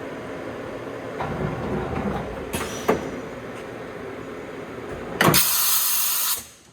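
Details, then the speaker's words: Matsuura MC 510 V CNC machining center automatic tool change (M6 tool 6, MDI mode): a few sharp mechanical clunks, then a short hard air blast that cuts off cleanly; smooth swap, no grinding, normal. "a perfect tool change, no problems. Just an all-around nice machine here."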